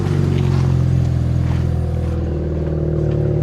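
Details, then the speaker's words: Pontiac G8 with cold air intake and non-stock exhaust, Copart auction car: revved, deep smooth exhaust note rises then settles evenly with no knocks, misses or rattles; engine sounds healthy. "Give it a little rev. It sounds healthy. It sounds healthy."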